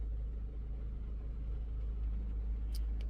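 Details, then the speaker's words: 2021 Maruti Brezza petrol, 50,000 km, after engine overhaul for suspected bent connecting rod: very quiet, smooth low hum with no shake or uneven beat, nothing vibrating; the engine idles so softly it is barely noticeable. "यार थोड़ा सा भी यह वाला भी थोड़ा vibrate नहीं कर रहा है मतलब इतना शांत हो गया"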